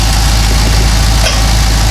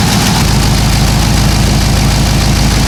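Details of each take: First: Cadillac CTS-V LS V8 with long-tube headers and a broken rear header bolt, exhaust leak sealed with a clamp bracket tightened while running: a steady, even idle with a smooth low rumble and no ticking. The leak is gone. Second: Cadillac CTS-V LS V8 with long-tube headers and broken header bolt: idle with sharp puffing tick from exhaust leak, tone changes as a clamp bracket is tightened while running, leak seems gone.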